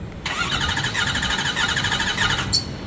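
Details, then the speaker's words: 2008 Ford F350 with 6.4L Powerstroke diesel, cranked with a compression gauge in the number 2 glow plug hole; rough, uneven cranking beat. Cylinder 2 shows zero compression and is dead. "Do it again. 0 compression. Just like I suspected."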